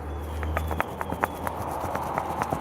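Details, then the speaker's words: 2013 Kia Optima: sharp, uneven clicks about four a second as a broken sway bar link ball joint with visible play is rocked by hand. "So it was clicking like crazy."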